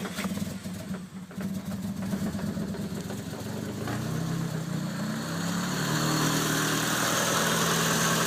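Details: Car being tuned: even starter cranking at about three beats a second that never catches or fires; engine turns over but won't start.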